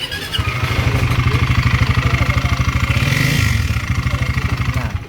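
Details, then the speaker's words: Engine knocks loudly at idle with a heavy, regular pounding of about three beats a second from a bent (bengkong) balancer shaft; friction and overheating, engine block cracked (biyak). "Bengkong, baliko. Ayun na. Bengkong nga. Bengkong nga. Maingay."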